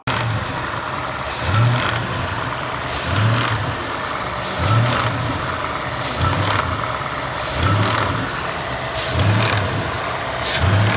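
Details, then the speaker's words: Ford car, owner's tick complaint covered by SSM 7718, recorded by the dealership tech in neutral while standing still: short throttle blips, each followed by a brief metallic rattle on lift-off. Source unidentified; owner had never heard it before. "so as you can hear there is another type of I don't know what type of sound when there is liftoff when the car is in neutral and standing still"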